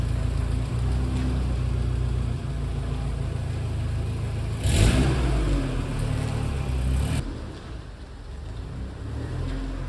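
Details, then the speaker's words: Subaru EJ boxer engine in a VW Syncro Doka conversion idling after replacing noisy hydraulic lifters and fresh oil: low even rumble, the lifter rattling gone; normal healthy idle after repair. "SUCCESS! I directly noticed that the rattling noise is gone but we will do a before / after comparison"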